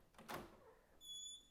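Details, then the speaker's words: Door squeak persisting after cleaning one hinge pin and spraying silicone into it: soft thump then thin, steady high squeak, so that hinge was not the source; all three hinges to be cleaned and lubricated next. "It does still squeak. So that wasn't the hinge."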